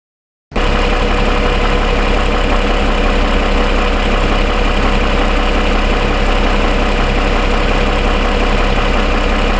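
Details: 2007 Toyota Sienna, fully warm after about 45 minutes of driving, idling: smooth even hum, the cold-start ticking (suspected piston slap) faded to barely anything.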